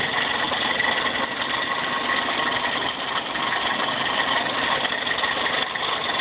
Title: Toyota Corolla Car making rattling noise